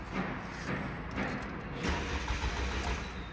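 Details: 2018 Toyota Camry, crash-damaged with replaced engine, many stored codes incl. unplugged air flow sensor, fuel added at throttle: weak short cranking pulses about twice a second, never catches; crank no start, no spark because ignition coil power wires were cut.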